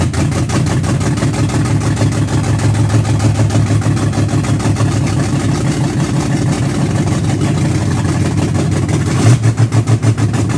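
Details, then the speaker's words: Car "Betsy", day after camshaft break-in and idle timing set, new fluids: started and idled real rough, idle about 100–200 rpm higher than before, lumpy irregular pulse; when revved it dies; rough idle, owner suspects a vacuum leak. "now go to start it up today idles real rough off the start"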